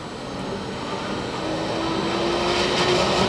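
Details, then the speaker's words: Pump cavitating at about 150 gallons per minute: loud, rough, gravel-like crackling rattle that grows louder as bubbles form. "you also might notice how loud this system is can you hear that running sounds like gravel going through the pump so a key sign of cavitation"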